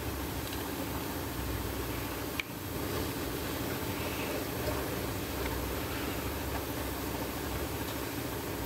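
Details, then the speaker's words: VW Jetta GLI with flashing check engine light and misfires on all cylinders, compression test while cranking: even, steady starter churn, readings a little over 150 psi, even compression on accessible cylinders; normal cranking compression. "all right same thing I got even compression and cylinders I can get to"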